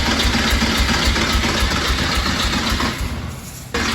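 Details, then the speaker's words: 1986 Porsche 911 Targa, not started in over a decade, after old fuel drained, new fuel pump and fresh battery fitted. Rhythmic starter cranking at nearly four pulses a second winds down without catching. It cranks but won't start; cause unconfirmed. "Let's go. Keep cranking. We got nothing."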